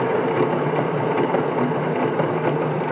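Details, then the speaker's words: Shaft on new needle bearings spinning freely on a test machine: smooth whir with light fast rubbing tick from the keyway dragging over the bearing needles. "okay so you can hear a little bit of a noise there there and that's actually the keyhole rubbing against the needles on the inside of the bearing"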